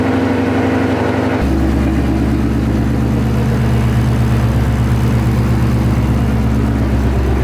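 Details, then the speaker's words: 2013 Mustang GT V8 started after replacing all spark plugs with NGK: lumpy idle that stumbles about every half second, so it still misfires at idle. Coil packs are the next suspect and a data log is to be sent to VMP. "Well, it didn't fix it. As you guys just heard, it's still firing weird and this sucks, man."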